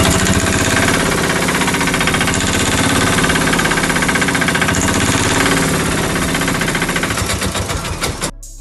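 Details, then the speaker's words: Bajaj auto-rickshaw (Maxima) engine, sound changed: rough, rapid clattering beat about four per second until it shuts off; head packing/head gasket blown. "तो दोस्तों जैसे की आपने अभी देखा की इंजन के साउंड किस तरीके से चेंज हो चुकी है तो इस तरीके से इंजन के साउंड क्यों चेंज हुआ तो हम लोग आज इसी के बारे में बातें करने वाले हैं"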